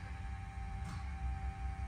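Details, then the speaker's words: 1971 Ford Bronco custom, 302ci Blueprint V8 with Holley Sniper EFI and new gas tank, 41.3 miles since restoration: faint steady mid-pitched hum over low rumble before cranking as the electric fuel pump primes; normal priming, start once it stops. "Fills the bowls up with gas for you. As soon as it's done making that sound, it's time to start."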